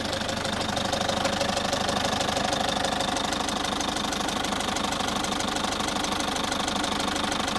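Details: Citroën C5 2.0 HDi 100 kW diesel at loud, even idle with a steady quick tick about three per second; owner suspects injector area, unconfirmed; all injectors repaired, new piston rings, valves repaired and seals renewed 15,000 km ago.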